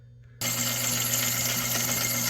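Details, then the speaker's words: 1970s Rowe AMI jukebox, said to be ex-Waffle House, under repair: powers up with a steady mechanical whir and light clatter while the selector spins freely past the ring of pins without engaging the drum; selector not engaging. "so as you can see, that selector, this piece right here, is just spinning, and these arms that are, you can see of the white piece passing by along this ring of pins, is actually what's supposed to go ahead and engage the entire mechanism and then turn the drum to select the record"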